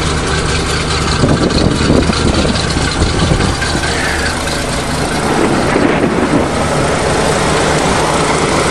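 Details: 427 Chevy V8 dump truck after fuel pump fix, waiting for air brake light: steady even low idle rumble with no misses, knocks or surging; runs healthy.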